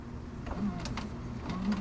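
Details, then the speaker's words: 2003-04 Jeep Grand Cherokee power window: short strained motor hum with brief whirs and stalls, moving only in fits and dipping briefly before going up; binding regulator suspected. "Oh boy. Yeah. That's well, it's trying to work. The nice sign was that when we go to roll it up, it actually went down for a second and then back up."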